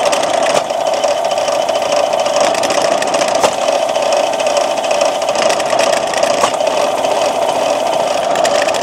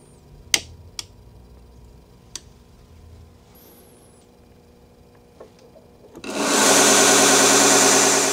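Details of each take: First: As you can see, it shakes all over the place. I actually have to keep it clamped to this table just to prevent it from walking off and falling onto the floor. It has absolutely no power. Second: New Vevor 1x30 belt grinder with servo motor speed control, first run at 1750 RPM. Steady, even hiss and hum with no wobble or knocking, much quieter than the old grinder and not shaking at all: normal smooth running.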